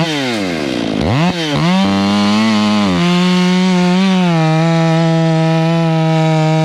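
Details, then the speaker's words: Stihl MS 461 chainsaw with Westcoast Saws kit and Maxflow filter, limiters removed, breaking in: revs to a high steady scream off load with a burbly, uneven four-stroking edge; deliberately set plenty rich, to be leaned out later; rich carburetor four-stroking. "I like it uh we can lean that in and make it a little bit zippier but uh she's running plenty Rich you can hear that four strok"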